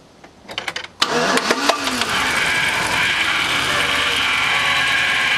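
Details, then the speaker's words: Old GMC truck with 5.3 engine, left sitting with no oil showing on a rotted dipstick, cranks and runs rough, banging and rattling with a sharp ticking chuff from a small exhaust leak. "just chooching right out of that little exhaust leak she was banging and rattling but it was running"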